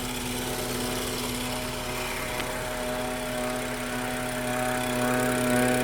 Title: F30 n55 MPPK whine noise